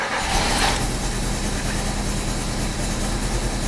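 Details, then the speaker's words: 1994 Alfa Romeo 33 Imola, 1.4L 90 hp fuel-injected petrol boxer, idling with one plug wire disconnected during testing: lumpy, labouring idle with another cylinder sparking intermittently; misfire from bad spark plug wires and ignition coil, causing unstable idle and low power. "now the engine is struggling because there is a cylinder which has been been disconnected and there is another one which sometimes has spark and other times there it doesn't have"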